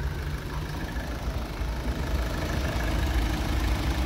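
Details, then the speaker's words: Low-mileage Opel Meriva with a 1.6 16V 105 hp petrol engine and Easytronic automatic gearbox, heard at the engine bay: a low, quiet, even idle hum with no tapping or misses. Smooth, almost silent, healthy idle. "Hát szinte teljesen hangtalanul szépen jár."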